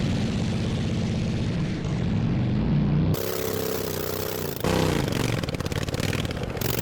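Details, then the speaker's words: Racing lawn mower after a 2.4-hour race, repaired cracked frame and steering, test ride without exhaust or hood in the evening; loud, raw open-pipe bark holding steady and pulling strongly under load; engine healthy, just unmuffled. "That's definitely really quick, but I barely have steering at all and I drove without exhaust. It's 9:00 in the evening. I don't want to be that annoying, so I'm going to stop now. But the motor is definitely okay."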